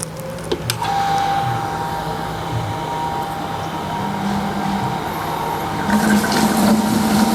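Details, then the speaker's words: Water pump switched on in automatic mode with the DIY PCB low-water cutoff controller (well-level sensors) installed; steady low motor hum with rushing water, even and unbroken: normal pump operation before the lower sensor shuts it off. "Ketika saya Nyalakan pompa ini dalam kondisi otomatis menyala ya kalau ini Saya nyalakan harusnya dia menyala"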